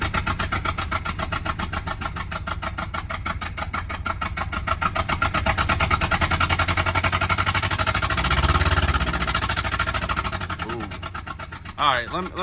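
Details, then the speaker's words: Subaru XT with bad motor, first start-up: lumpy, stumbling, really rough idle with uneven chuffing and shaking, smelling of old gas; running on only two cylinders because two spark plugs and coil packs are missing. "o it's running but it's really really rough definitely sounds like a coil pack still missing"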